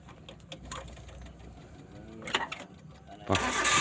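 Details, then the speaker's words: Suzuki Carry 1.5 Futura whose starter only clicked while the solenoid still moved. After the dirty starter armature was cleaned, a few light clicks give way to the starter spinning strongly and the engine catching. Normal cranking after repair. "ternyata cuman angkernya yang kotor ini"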